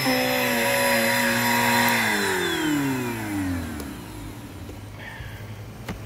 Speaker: Other than that, it works just fine. Motor sounds healthy. Brush roll spins fine.